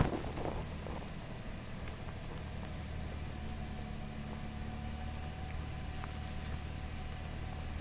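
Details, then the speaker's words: Toyota Camry that stalled and misfired, after a new ignition coil and cleaned airflow sensor: smooth, steady hum with no stumbles or misses, picking up well; idle set too high, needs adjustment. "তো আলহামদুলিল্লাহ এখানে গাড়ি start করছি গাড়ি এখন pickup ভালো নিচ্ছে কিন্তু এখানে রেস অনেকটা বেশি আগে থেকে বাড়ানো ছিল এটা এখন এডজাস্টমেন্ট করতে হবে"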